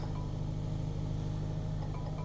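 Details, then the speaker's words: Jaguar F-Pace (Ingenium engine), 109,000 miles, cold morning, just started: soft repeating dashboard chimes over a quiet steady idle for check engine, tire pressure and SOS-disabled warnings; the engine soon ran rough with vibration. "looks like our oh we have a check engine light tire pressure light SOS system disabled I think that's what that said press okay to clear"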